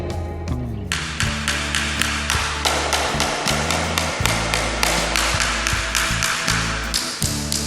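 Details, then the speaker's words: Tapping rod slid across floor tiles during a home defect inspection, some taps ringing dull, empty and hollow instead of a solid high pitch; suggests tile debonded. "Tuan-tuan, saya bagi contoh untuk penilaian pada hollowness pada jubing lantai. Kita boleh dengar bunyi yang berbeza sama ada ia hollowness ataupun tidak."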